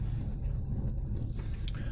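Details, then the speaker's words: Jeep Grand Cherokee WJ on test drive after fuel filter/regulator replacement and fixing a long-kinked plastic fuel line from the tank: steady even engine drone, no surging or stalling. "I don't know if you can hear it, there's no surging."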